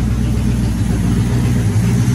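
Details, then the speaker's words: Car started after sitting a while (three pedal pumps), stock exhaust not yet upgraded: deep, even engine note revving cleanly and settling to steady idle with no stumble; earlier misfire was a loose spark plug wire, now running healthy. "well hey just a quick update sounds pretty badass doesn't she and we haven't even started upgrading our exhaust yet"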